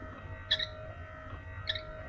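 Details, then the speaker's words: Classic Range Rover softdash with 300 TDI, ignition on, electrics checked before decker panel and bonnet refit: faint wiper motor hum with high chirpy squeak at each end of sweep; owner hopes it's a linkage shaft, not the spindles. "Why are you squeaking? Hopefully it's not the spindles. Hopefully it's one of these shafts here."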